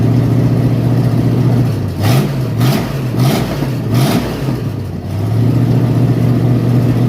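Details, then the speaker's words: 1967 Mustang V8 with mild cam, first fire-up after a month sitting, new hoses and cooling system being fitted, before adding coolant: steady even idle with three quick throttle blips rising and settling cleanly; smooth, healthy engine. "can't hardly beat that, fellas. That's a really good little engine."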